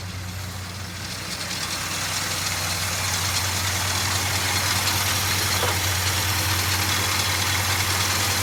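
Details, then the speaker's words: 1969 Ford F100 Ranger first started in years, likely bad coil, coolant not yet hot: steady, even idle with smooth low exhaust hum and no knocks or misses; engine sounds healthy. "Let's see what the exhaust sounds like. It sounds all right. It sounds all right."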